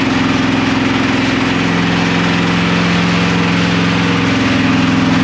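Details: Camaro/Firebird LT1 V8 run with no oil, restarted after cooling a few minutes, steam coming from the valve cover bolt holes. Rough loud idle with faint tapping three or four times a second, soon hot again. Oil-starved knock.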